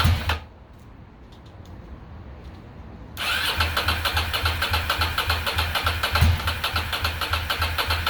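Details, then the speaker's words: 2006 Ducati Monster 800, first start in years after fuel pump replacement and cleaning the injectors: catches after short crank, lumpy uneven idle, one cylinder dead, only the rear heating; front injector suspected clogged/stuck shut. "it's gotta be air in the lines cylinder is not firing only the back one's getting hot so we probably have a clogged injector"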